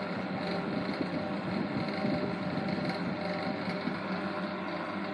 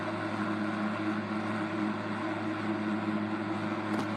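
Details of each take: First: 1960s Eskimo model 2012 12" box fan on medium speed: a steady hum with a light, constant rattle from shaft end play. Spacers still need adding to the shaft; on high speed it is silent. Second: 1960s Eskimo model 2012 12" box fan running on high: a steady hum with a smooth airflow hiss and no rattle or ticking. Only the medium and low speeds rattle, because the shaft lacks spacers.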